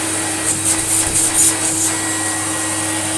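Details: Electrolux Lite Deluxe Z1810 vacuum after refurbishment, original motor bearings regreased: steady, even motor whine and airflow rush at constant pitch, no rattle or bearing scrape; normal running.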